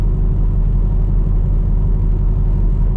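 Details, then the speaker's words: 2010 Camaro SS under heavy load: deep, uneven low rumble throbbing about once a second, violent shaking feels like something stuck or broken. "Again, it really just feels like something is stuck or something is broken."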